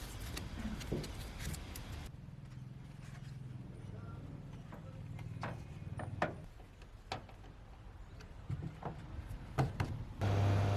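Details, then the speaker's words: Outdoor condensing unit of a home air conditioner after fixing wires that rattled against the copper refrigerant pipe: a steady low compressor hum with only light occasional ticks and no metal-on-metal rattle; normal running after the repair. "ซึ่งเราค่อยจะได้ยินเสียงคอมเพรสเซอร์ดังนะครับคอมเพรสเซอร์เนี่ยดังอยู่แล้วนะครับคือแอร์ทุกเครื่องเวลาคอมเพรสเซอร์ทำงานมันก็มีเสียงดังตามธรรมชาติของมันแต่ว่าเสียงของโลหะกระทบกันวัสดุกระทบกันมันไม่มีนะครับเงียบแล้วนะครับ"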